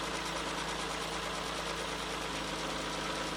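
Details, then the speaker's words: 1994 Ford Probe GT, about 144,000 miles, idling while warming up: a smooth, even hum with no excessive knocking or vibration; owner chases an intermittent oil-pressure drop at idle and suspects the sending unit or oil pump. "Say for a 30-year-old car that has about 150,000 miles on it, so 144,000 miles on it. I don't really hear any excessive knocking. I don't feel any vibration, crazy vibration in the engine at all."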